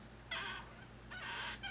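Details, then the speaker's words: Thrustmaster rudder pedals: two short shrill squeaks as the pedal is pressed; owner first suspects springs or potentiometer, but the pedal shifts on its pivot and rubs the plastic housing. "if I can hear anything specific it could just be the springs rubbing itself"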